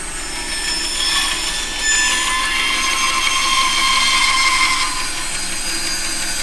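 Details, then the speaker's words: Bandsaw with a 1/4 inch blade forced around a curve too tight for its width. The steady cutting rasp strains and drops as the blade starts to bind. The fix is to stop the saw and make relief cuts on the scrap side. "you can hear the blade is starting to bind a little bit, so I know I need to set a relief cut, so I'm going to stop the saw, and I'm going to make a relief cut here."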